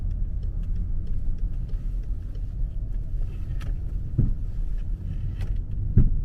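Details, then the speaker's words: 14-year-old BMW 5 Series with about 30,000 km, slow turns: two dull clunks, right side banging when turning left and left side when turning right, seemingly from the rear and unrelated to the ball joint; suspension clunk. "你往左打的时候，它右边撞得响；往右打的时候，左边撞得响，感觉。"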